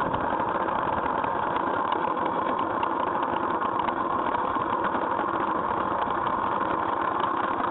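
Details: GY6 scooter engine at idle making an abnormal busy, rattly mechanical noise over a steady drone; cause unknown.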